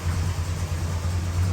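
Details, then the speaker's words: Original 1968 Dodge Super Bee, numbers matching, just over 31k miles, Pertronix electronic ignition, new plug wires and distributor cap: deep, even V8 burble at idle without ticks or misses; tight, healthy and not smoking. "That sounds this good. This thing is tight and still drives like a new car."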